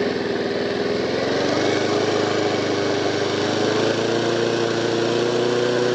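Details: Honda HR173 mower sent in as a non-runner, started with fresh fuel; air filter old and deteriorated: steady, even single-cylinder drone with no misses, surges or knocks; normal healthy running.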